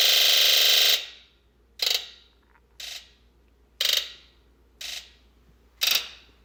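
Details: 1996 Ford F250 7.3L diesel, very hard start, code P1294 high-side open bank 2: injector buzz test gives one long buzz then five short buzzes; all driver-side bank injectors dead, wiring fine, water-damaged injector driver module (IDM) at fault.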